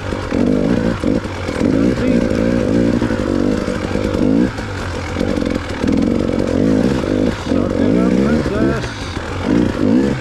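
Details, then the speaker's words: KTM on a rough-terrain test ride after a bad battery ground caused a fuel-pump blink code; crisp bark rising and falling with throttle, pulling cleanly; the rider wonders if it was slightly boggy, but it seems to run great. "yeah maybe it was boggy maybe i'm just hearing things now because i'm still a little bit paranoid the bike's going to let me down but it seems to be running great"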